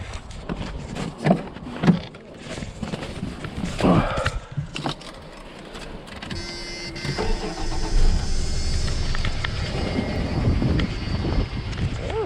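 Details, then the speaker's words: Copart pre-sale inspection of a one-owner 1990 Dodge Dakota truck, about 72,000 miles, on a snowy day: starter clatter, then catches and settles into a steady, even idle with no knocking; possible minor valve cover gasket leak. "not too bad we should start it up not bad maybe a little bit of a valve cover gasket leak but ain't too bad"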